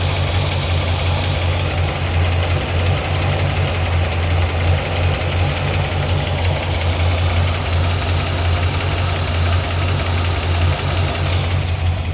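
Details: 1981 Corvette V8 after water pump work, idle leveled out, oil pressure 40, coolant about 180, oil temp just above 100, 14 volts: light, fairly quick ticking over the low rumble, louder on one bank; valve tick.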